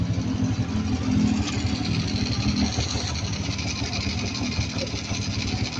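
Steady, even single-cylinder idle with no hunting, misses or surging; the carburetor is idling cleanly and runs healthy.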